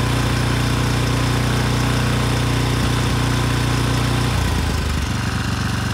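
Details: Rebuilt 10HP Briggs and Stratton Storm Responder generator engine (model 21T212-0116-G1), after a knock from an out-of-spec crankshaft, compression 60 psi, run outside at 2800 rpm: steady even hum, smooth governor shift; running well.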